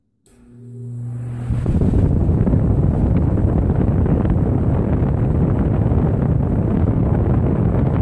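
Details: Vintage Patton U2-1887 18-inch 1988 high-velocity fan after repair (armature spacers replaced, motor lubricated), blade and cover refitted: motor spins up over about a second into a loud steady rush of air, no rattles or ticking; normal running.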